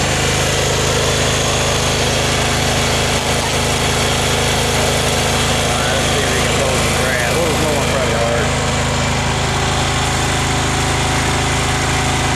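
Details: Craftsman FS 5500 lawn tractor after its carburetor was cleaned and the breather blown out, mowing under load: a steady, even single-cylinder drone with no hunting; the engine runs well and has quit surging.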